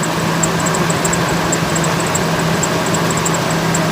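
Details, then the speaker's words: 1998 Ford Expedition ex-police V8 at idle, hood up, camera near the engine: rapid, irregular high-pitched bird-like chirps from the belt drive; an idler pulley is suspected, with tensioners and serpentine belt also to be replaced. "now this could be several things uh underneath your hood that could be chirping or making this noise"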